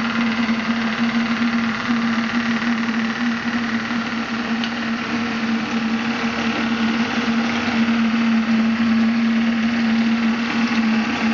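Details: Graupner 5000 gas-fired model steam engine driving a pond water pump, at about two bar, cylinders cleared of condensate: steady even hum at constant pitch with regular chuff underneath, no knocking or hesitation; pumping well.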